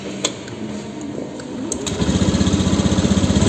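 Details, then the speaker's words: Honda Beat scooter that was hard to start, sputtering and dying, after replacing the damaged spark plug cap: starts cleanly on the starter and settles into a steady, even idle with no misses; now normal. "sudah bisa dihidupkan dengan mudah ya teman-teman menjadi sudah normal"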